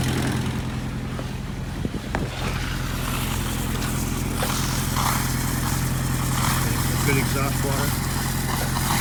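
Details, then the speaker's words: Boat diesel running after the fuel-line air leak was fixed, with the bleed valve closed and the lift pump ticking: a steady, even chug with no stumbles or misses. It ran over 20 minutes without a hiccup. "i close the valve and that should be doing that little tick tick tick tick tick is all"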